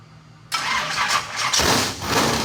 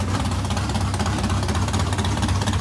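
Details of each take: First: Modified engine's first fire-up, run on primed squirt fuel: it catches and revs roughly in surges for about two seconds, then falters. The fuel pump, one taken off the shelf, appears bad and isn't delivering fuel. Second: Modified race car V8, first fire-up after months of work and fuel pump issues: firm lumpy lope then a blip, holds a steady idle; runs, though water pump gasket leaks.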